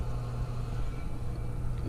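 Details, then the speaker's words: Climate Master geothermal heat pump locked out on low pressure (nuisance, about yearly), Y1 jumpered, contactor pulled: flow center pumps running normally, steady even low hum with no knocks or surging. "let's go ahead and get our y1 job burped it's pulling the contactor and I hear the flow center back they were running"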